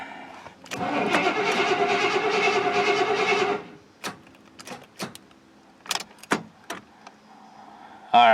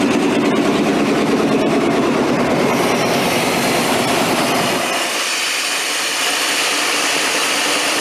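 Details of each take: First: Square-body 3/4-ton 4WD Suburban, worn distributor cap and rotor: cranks evenly about three seconds without catching, then cuts to clicks as battery connection drops; no start. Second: 3/4-ton 4WD square-body GM Suburban, long off the road, after jiggling the ICM wire: engine catches and settles into a steady, even run with busy mechanical clatter on top; starting and running normally, thermostat not yet open.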